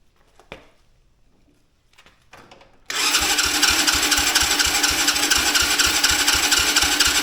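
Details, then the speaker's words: Mini Jeep with Chinese quad-type engine, hard-starting complaint, worn air filter: starter spins it at about two even pulses a second on choke with starting fluid, never catches; compression seems present, plug wet; fuel issue not eliminated; cranks but won't run. "well I can tell you by the the sound it sounds like we have compression spark plug's wet smells like starting fluid"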